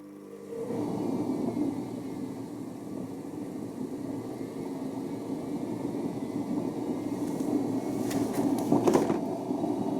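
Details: Hoover Nextra HNL6166 6 kg, 1600 rpm washing machine on spin, heater disconnected: loud, rough rumbling roar with knocks from severe imbalance, caused by very broken drum bearings.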